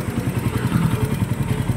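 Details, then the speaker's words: Loud, rapid, even low thrumming at idle with a clattery edge on an engine still noisy though rod and other parts are replaced and the cylinder head is done; cause still undetermined. "ito yung Ray sir na nilapit sa natin titingan natin kung anong problema maingay nga"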